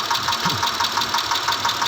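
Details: 2010 Mitsubishi Pajero with the 6G74 V6 petrol engine running: a steady, sharp knock repeating about six times a second; engine knocking.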